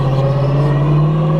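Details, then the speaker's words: Street car with a TH400 automatic transmission accelerating in first gear: a steady, high spaceship-like whine rides over the engine and climbs slightly as the car pulls; the driver suspects a worn first gear. "We're in first gear now. I think first gear is wounded. It kind of sounds like there's a spaceship in here. You'll hear that when I accelerate a little bit further up."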